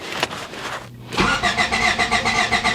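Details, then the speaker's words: 1993 Honda Civic, previously intermittent stalling after main relay replacement: starter spins the engine at an even, fast churn with no catch or firing; cranks but won't start, no spark, faulty ignition coil found. "okay so it's confirmed because it only grants the butter won't start"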